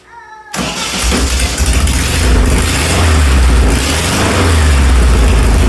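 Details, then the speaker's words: Old Volkswagen engine in a dune buggy that sat in a barn, after starter replacement; starts and runs rough with lumpy uneven low beat; one front cylinder's tube stays cool, dead cylinder suspected. "Sounds like we might have a dead cylinder. That's pretty cool."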